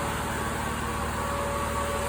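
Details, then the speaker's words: 1999 Jeep Cherokee XJ with newly installed triple electric fan shroud, at operating temperature: two of three fans running, steady rushing airflow with faint hum, no rubbing, ticking or wobble, normal fan operation. "I had a little bit of a spill but you can hear the fans going in there it's up to operating temperature so both of these two fans are going that one over there is not"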